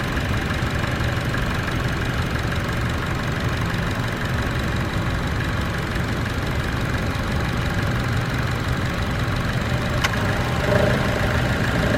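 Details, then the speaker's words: Chevrolet Cruze idling with A/C on: steady deep growl from under the exhaust manifold, gone when driving off. The A/C compressor was recently replaced; heat shield removed and exhaust clamps inspected. "When you turn the AC on, there's a growling noise, and that's only at idle, and then when I take off it's gone."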